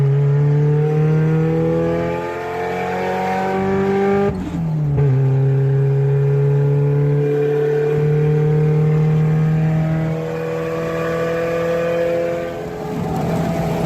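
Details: Old wagon with good compression (about 170–180 psi) on a road test. A loud, raspy note rises and falls through gear changes, with an open, puffing blat and backfire from a leaking left-side header.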